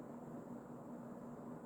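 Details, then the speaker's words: Emerson Casablanca Designer CF-2036W 36-inch plastic ceiling fan, early-mid 1980s, K-55 stack motor, two speeds, running on high: steady even hum and soft whoosh of strong airflow, blades balanced, no knocking or wobble; normal running. "And the air movement is actually incredible for a 36-inch fan. This thing is very powerful."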